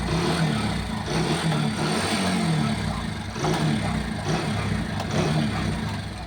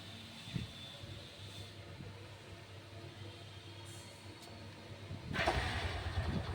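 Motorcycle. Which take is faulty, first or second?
first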